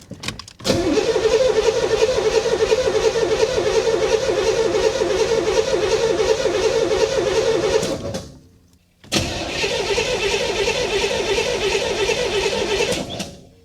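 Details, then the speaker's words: 1985 Chevrolet Corvette swamp rescue, fuel rail just primed: steady fast starter churn for about seven seconds, a pause, then another long crank; never catches, possibly flooded. "come on old girl that should fix it right yeah i don't know let's try running it with the fuel pump off just in case we have flooded the engine"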